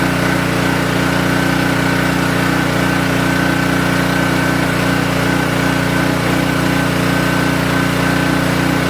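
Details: King Canada 3000 W (2,300 W running) generator after repair and new air filter setup, run before load test: steady, even drone at constant speed with no surging, misses or rattles; now running smoothly and healthy.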